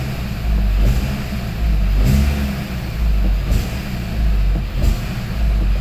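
Repeated blips of the throttle about once a second, with a rough metallic rattle riding on each rev rise; rattle source undetermined.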